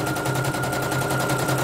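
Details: Serviced embroidery machine, previously jamming with skipping bobbin-case hook; test-stitching lettering: fast even chatter over steady high motor tone, no jams or knocks; running cleanly. Renewed jamming would indicate worn dynamo shaft.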